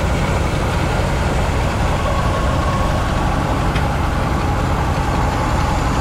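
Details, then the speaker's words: 1970 Chevy C-40 mechanics truck, sat 15+ years, revived: loud steady low drone with even firing, no ticks or knocks; engine idles fine, though not charging and not breaking loose. "Just running. Yeah, it runs great. It runs good."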